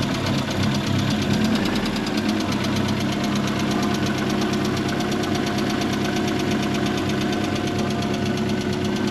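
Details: MK1 Ford Fiesta with a Zetec conversion, petrol engine at idle after cambelt and timing were set up, with the crankcase breather pipe clamped: a steady, even beat with no lumpiness or hunting.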